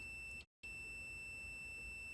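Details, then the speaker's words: Multimeter continuity test on a cleaned computer mouse left-click micro-switch; high steady beep, a brief break when the probe shifts, then steady again, showing solid continuity. "I'm getting no resistance, or very small amount of resistance, like 0.1 ohms."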